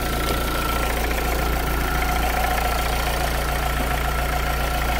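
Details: Renault Clio II dCi diesel after alternator pulley repair, judged quieter than before: even idle with ordinary light diesel clatter and a steady hum, no squeal or rattle from the belt side; sounds healthy.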